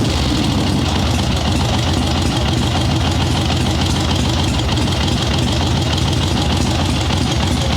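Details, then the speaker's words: Harley-Davidson Ironhead Sportster chopper, Mikuni VM38 carb, kick-started with no choke after needle changed back from thinner one; steady loping V-twin idle, taking throttle much better at about 1/8, still slightly boggy at first; excess fuel corrected. "So it is taking throttle way better now. Still a little boggy at first. That sounds substantially better than it did."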